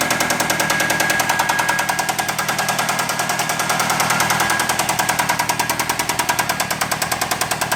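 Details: Chrysler 2.4 litre engine run deliberately with coolant drained, not yet warm: sharp, steady metallic rapping over the idle about three per second, an internal engine knock, plus a light harmonic ting from the flywheel.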